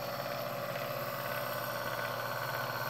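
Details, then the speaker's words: Keurig K150P coffee maker at power-on, LCD backlit but no menus: water pump and air pump whir continuously together, overfilling boiler until overflow spews; faulty control board suspected, not confirmed. "but as you can see the pump both water and the air pump are working simultaneously"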